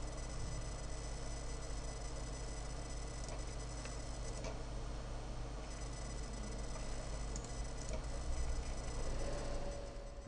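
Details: Dell Precision M65 laptop after a technician replaced the mainboard, which cured earlier sounds; now a thin steady high whine with soft irregular ticking about four per second over a low hum, cause unknown; whine and ticking noise.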